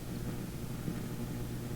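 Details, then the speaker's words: Philips Sonate BA581A vacuum tube radio with a better antenna: steady low rumble with faint hum like a distant idling engine, though no engine is running; source unknown, stage isolation planned. "see that almost sounds like engine noise but oops but there's no engines running around"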